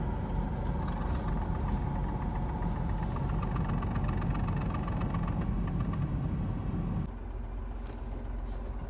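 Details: 2023 Renault Kwid under six months old, at idle: rattly low rumble that changes abruptly about seven seconds in as the clutch is worked; clutch noise, cause unknown.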